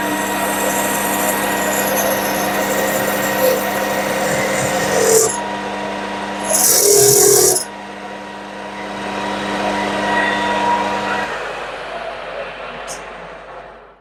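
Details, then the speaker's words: Drilling with an 8 mm drill in the chuck: steady motor hum with rough fluttering chatter while cutting; spindle running too fast for the drill. "as you could probably hear there's a bit of chat there I'm probably running the drill chuck a bit fast I should have slowed it Down"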